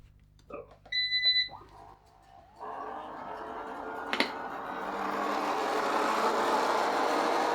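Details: Eufy RoboVac 30C, reassembled after a loud grinding fault blamed on a crumpled gear: two short start beeps, then the motors spin up into an even, steady whir with no grinding or clicking. It runs normally.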